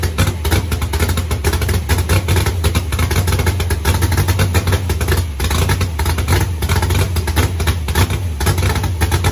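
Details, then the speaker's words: Super Stock Buick 350 V8 during camshaft break-in on a dual-point distributor fitted straight out of the box. The idle stumbles unevenly with irregular, choppy beats about five minutes in, a misfire the builders blame on failing distributor points. "five minutes later my god this thing's gonna go points guaranteed yes sir i should have known that sound right away because i put i've done that on my truck yeah and it starts chopping up like that immediately"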